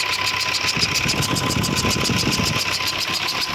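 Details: Ashok Leyland BS3 diesel truck engine running: fast, uneven rattling tap over a bright hiss, about 220 per minute, pointing to a noisy air compressor.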